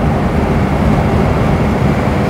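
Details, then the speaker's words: 1949 Armstrong Siddeley Lancaster on the road at 50 mph; loud, steady low drone with no stumbles, running nicely without misfiring. "50 mph and it's quite noisy but it's running nicely it's not misfiring is it"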